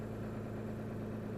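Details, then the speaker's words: 2015 Ram EcoDiesel on a cold morning (around 28°F, coolant 33°F) that took about five minutes of trying to start; the owner suspects the starter or solenoid. Once running: a steady, even diesel idle clatter with no misses or knocks, and it runs good. "and then she turns fine runs good"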